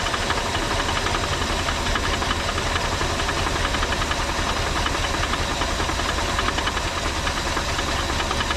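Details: 1983 Ford F-150 XLT 5.0 V8, previously seized, running on a temporary hood-mounted gas tank: rough, lumpy running with dull knock throughout and hiss; barely running, unhealthy, though oil pressure present.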